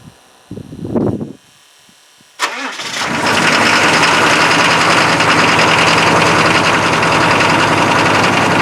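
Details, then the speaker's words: GM 6.5 diesel, cold, after checking coolant temperature sensor and high idle solenoid: cranks, catches and settles into a fast, steady clatter well above normal idle; cold high idle working. "hey that sounds like a high idle to me yeah baby wow so"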